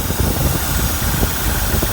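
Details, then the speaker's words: Truck at a salvage yard: uneven, lumpy, loping idle with irregular thumps; a loud hiss suggests a vacuum leak, and a vacuum hose was seen hanging loose. Cause suspected, not confirmed. "yeah Wow a loud one so it's probably a vacuum issue"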